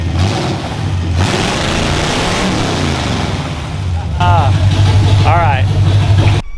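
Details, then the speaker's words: 1974 Chevy Nova V8 running open headers, alternator loose and not charging: loud, deep, uneven beat that stumbles and hunts. Runs rough, cause not yet found. "pretty sick as of yet we'll fix that God it sounds not quite as good as a derby car"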